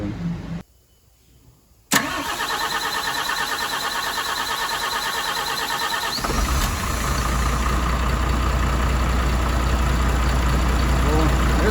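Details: MAN TGM truck, D0836 LFL 63 diesel, rebuilt after smoking and misfiring, first start with bench-tested replacement injectors fitted: brief cranking, engine catches and settles into a steady, even idle with clean rhythmic clatter; normal start and idle.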